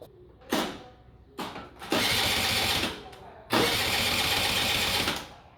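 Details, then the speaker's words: Honda Dio scooter after cylinder and piston cleaning and reassembly, compression present; three short starter bursts with the engine never firing due to no fuel delivery from a failed fuel pump, later fixed with a gravity-feed tank. "无输油，袂输油啊，这油管伫遮，哪会袂输油？我气管无害，袂输油呢，奇怪，这气缸是有压缩的，可能气管不来行的输油。"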